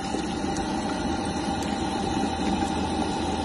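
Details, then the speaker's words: Green Star Junior condensing boiler restarted after lockout with flashing light: bubbly gurgling over the steady hum with irregular watery pops; blocked condensate trap and pipe, pipe too small through wall, cold weather. "not what we want to hear it so what we'll do is that is essentially a blocked condensate pipe"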